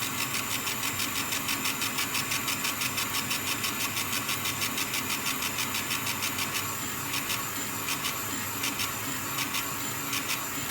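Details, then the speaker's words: Small air compressor supplying a laser engraver mid-job, kicking in as needed and quieter than typical compressors. Steady pumping of about three beats a second over a hiss, even and smooth; running normally under load. "a wonderful little air compressor will keep kicking in that their first drop thankfully is not as noisy as average 50 meter air compressor"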